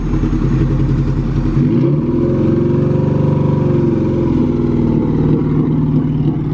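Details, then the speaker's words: Engine stumbles choppily under light throttle as revs rise and fall but clears up at full throttle; part-throttle misfire, owner suspects fuel-related cause, considering different injectors. "l Throttle you go Full Throttle it clears right up but anything under Full Throttle it has that sound to it so I I think it could be something fuel like what you're saying"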